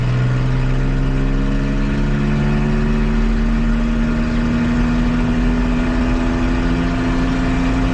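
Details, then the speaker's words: Nissan Xterra brought in for a suspected transmission problem, near operating temperature, driven at full throttle in second gear with one oxygen sensor pulled: drone climbs very slowly and sounds strained; check engine light flashing for misfires. "okay so I'm not sure if you can see it or not but the check engine light is flashing which means misfires and uh it's running generally like garbage"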